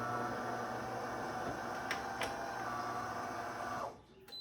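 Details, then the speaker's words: DeLonghi Magnifica EVO grind-and-brew coffee machine, a couple of years old, at power-on after clearing a bean jam: steady pump hum with rushing water for about four seconds, then a clean cut-off; normal nozzle rinse flush, which it wasn't doing before. "Okay, just a little flush on the nozzles. Okay, that's good. Wasn't doing that before. That's normal."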